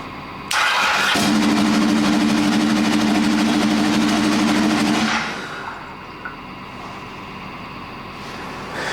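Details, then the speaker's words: Custom land-speed motorcycle with rebuilt turbo Ducati 998cc engine, first start-up: engine catches and hangs at high steady revs about four seconds before sagging slowly back; sticking throttle, oil pressure warning afterwards. "Sticky throttle. Maybe someone's not happy."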